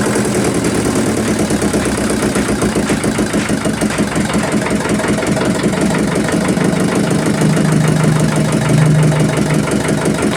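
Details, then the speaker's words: Yulin 2105 single-cylinder diesel rice-mill engine after fixing a leaking valve: thumps steadily and evenly at high and low throttle, no valve-leak noise, then slows and stops when shut off. "Mesin sudah mau hidup, gas besar mau, gas kecil sudah mau dan oke kita matikan."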